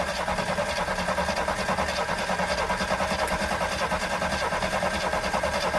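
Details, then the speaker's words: 1974 AMC Hornet with a points distributor, parked for years, carb cleaner sprayed in: steady starter cranking, about three turns a second, with no firing; owner suspects no spark and no fuel reaching the carb. "okay all right so we got absolutely nothing I wonder why that is do I have no spark Mimi and I still got no fuel getting up there"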